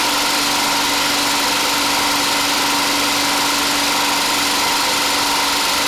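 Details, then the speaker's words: DIY 12V DC small engine-alternator generator in basement, alternator about 80 A in summer and 100+ A in winter: constant hum with fixed mid tone and even hiss, no surging, misses or knocking, holding steady speed under charging load; normal running. "that alternator outputs about 80 amps during the summer it does 100 or a little bit more amps during the winter because it's colder"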